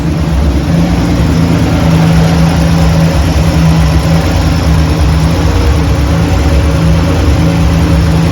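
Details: Bronco II with new 2.9L engine and manual swap, running after valves were reset (earlier set with soft lifters, staying open): deep, even note, steady hum, no ticking or knocking; normal running.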